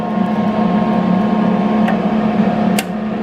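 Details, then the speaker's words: Eastwood MIG 175 welder, about a year old, with a history of inconsistent wire feed: a steady hum and relay clicks about a second after the trigger, but the drive rollers never turn. The internal board is suspected to have failed. "plug this MIG gun back in doesn't work you see the rollers moving no this is not moving"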